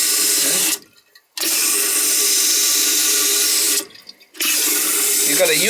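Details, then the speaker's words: Toilet fill valve, previously stuck and not filling (gasket can bind), now working after replacement or freeing: steady rushing hiss refilling the tank with two brief pauses, even flow and clean shut-off; normal refill. "But everything's working fine now."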